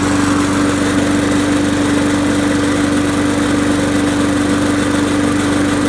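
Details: Trash-picked Poulan Pro mower, once hydrolocked by overfilled oil, after oil change and blade sharpening: starts first pull, steady single-cylinder drone with no misses or knocks; light smoke is residual oil burning off.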